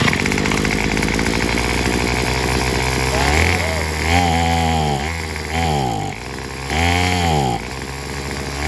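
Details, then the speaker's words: Craftsman WS210 4-cycle string trimmer revs on throttle, then sags and falls off repeatedly, sounding fuel-starved. Carburetor cleaned and replaced without help; the owner suspects the fuel line or muffler. Bogs and dies under throttle. "it sounds like it ain't getting no fuel enough fuel"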